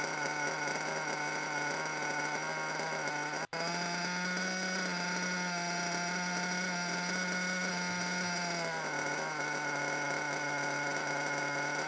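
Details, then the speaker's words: Brand-new RC car nitro engine with a bad front bearing, after break-in: buzzy idle that drifts up in pitch, hangs, then sags back down, wandering for no apparent reason despite tuning. "yeah so an idol that just keeps wandering for no apparent reason"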